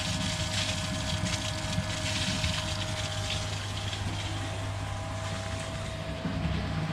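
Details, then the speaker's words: Pond pump, apparently an Aquaforte on an upflow filter, making a continuous washing-machine-like sloshing churn over a steady hum and throwing out bubbles. The owner suspects it is drawing air, but no visible leaks or level loss were found; the cause is unknown. "No loss in pond level water, but just a washing machine kind of sound coming from the pump."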